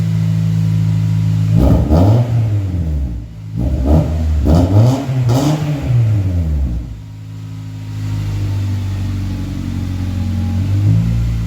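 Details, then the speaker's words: 2.2L four-cylinder CD5 Honda Accord with a new cheap 2 3/8-inch cat-back exhaust, no mufflers yet: loud raspy idle with quick blips, even pulses, no ticking or puffing; normal exhaust note, no leaks. "I don't hear any leaks."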